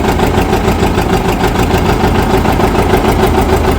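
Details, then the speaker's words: 1959 John Deere 730 two-cylinder tractor, sat outside about a year and a half, started with compression release: slow even pop-pop about three beats a second, steady and strong, no misses or knocks; good oil pressure, runs pretty good. "Okay. That's nice to hear it running. Well, that runs pretty good. That sounds real nice."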